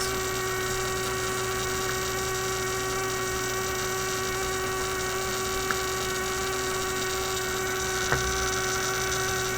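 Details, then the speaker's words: Steady electrical hum with a clear mid-pitched tone from a 1967 Heathkit Electronic Projects Kit AM transmitter build; the noise continued with the circuit disconnected, so the bench power supply was the source. "discovered something new the single wire power supply okay so my supply is simply putting out this noise here duh okay the whole time we've been listening to my virus"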